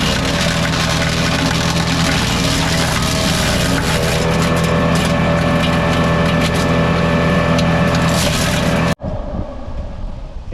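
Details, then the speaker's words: Dorite 7hp 4-inch capacity wood chipper bought at auction: steady engine drone with crackling, splintering wood for about nine seconds, then a clean cut-off; cutting fine without bogging. "you can see how quick that was. Again, you don't want to put too much in here to clog it up. And you can see how nicely it broke it down."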